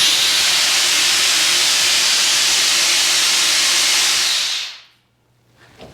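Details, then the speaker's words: New garage shop air system, compressor already filled, first test of the lines: a loud, steady high hiss of air for over four seconds, then a sharp cutoff; an outlet valve had been left open. "Okay, definitely had something going everywhere. Yeah, it might help if I, close that. That's a problem."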